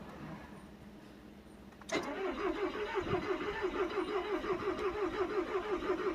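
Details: Volkswagen Tiguan: starter whirs steadily at about three pulses a second, even cranking rhythm, but the engine never catches; crank no-start.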